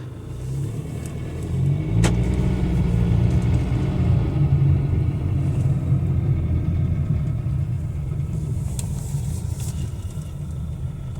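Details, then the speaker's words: Rebuilt Jaguar F-Pace 204DTD diesel without injector sound deadening, revved after first start: deep, even rumble swelling and settling back, no knocks or rattles; running healthy after rebuild. "I don't think there's a problem with it I think I'll call the video there I'm happy with it all now it's running great uh sounds like a diesel so to be expected I guess"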